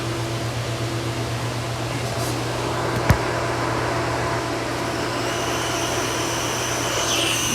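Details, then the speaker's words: Pool filter backwash: steady hum of water under pressure, thin high whistle creeping in once the backwash valve opens after stepping the valve one notch at a time; normal while pressurised, pressure then closed up. "hear it whistling? You're gonna close that pressure up."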